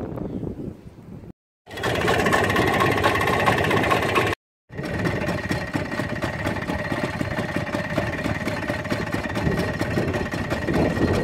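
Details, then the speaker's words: Muravey scooter left outdoors all winter, starting only after fuel is poured into the cylinder; this time it started with three choke pulls. Small two-stroke buzz at idle after dropouts, beat uneven; owner suspects poor fuel supply or the carburetor. "подозреваю я что почему-то плохо поступает бензин и знаю может быть карбюратором что-то"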